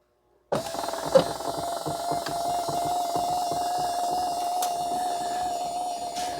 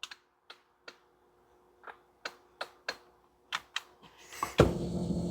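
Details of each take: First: 2011 Ford F150 passenger power seat that won't raise, switch bypassed with jumper wires: click then steady mid-pitched whir for about seven seconds; height motor runs normally, switch confirmed defective and replaced. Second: 2010 or 2011 Ford F150 10-way passenger power seat won't raise; sharp relay clicks every half second with no motor hum when pressing up/down; faulty power seat switch, replacing the switch fixed it.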